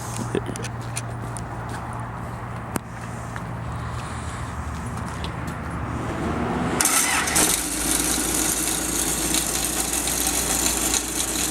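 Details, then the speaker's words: Isuzu-powered core drill rig diesel on a cold morning: fires up readily and settles into a steady, even idle with no knocks or misses; normal cold start and idle. "The thing starts up very easy. It's kind of cold this morning. We'll start it for you."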